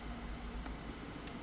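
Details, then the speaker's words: 2012 Kia Sorento after blower motor resistor replacement (it had blown only on setting 4): a soft, steady whoosh with an even low hum and no rattles or whine on low settings, so the blower runs normally again. "2, 3. Pretty sure you guys can hear that. And 4, of course, still works. And we back in action."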